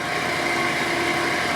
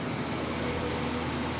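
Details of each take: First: Miller 330 A/BP welder with cooler running: steady hum with fine rattling chatter from dry cooling fan motor bearings, radiator removed; bearings to be serviced. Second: Miller 330 A/BP welder after servicing the cooling fan bearings, side panel back on and power on: steady even fan whoosh with a faint low hum, much quieter, no rattles; healthy cooling fan.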